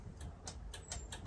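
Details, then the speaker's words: Atlas hydraulic jack plate on a boat: rapid dry relay clicking about four a second, motor heard but plate won't go down; relay harness suspected and replaced. "I could hear some clicking but it wasn't doing nothing so today I'm troubleshooting that"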